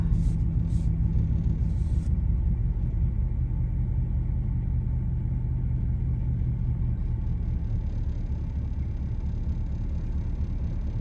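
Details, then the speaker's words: Dodge Dakota that overheated and stalled at a stop sign: deep, slow, uneven rumble sagging so low at idle it nearly stalls. The owner suspects a bad injector is making it idle too low. "Yeah. You see it's like it's like idling really low. There we go. That's what happened last time. I think I think that bad injector is making it idle so low that sometimes it's trying to kill it."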